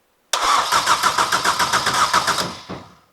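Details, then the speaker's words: Ford Fiesta ST with a newly installed engine, powered by a jump lead, injectors unplugged to prime oil and check for fuel leaks: even starter cranking at about 3.5 compression beats per second with no firing. No start, as expected. "So, if you can um crank it straight over because we've got the injectors unplugged, so it shouldn't start and we want to get some oil around it."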